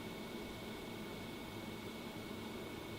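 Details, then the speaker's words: Fantastic Fan roof vent fan installed over old vent, on lowest setting: soft, even whir with faint steady high whistle, no rattle or wobble, not too noisy; normal low-speed running. "so if you sit here on the stable it's doing its job"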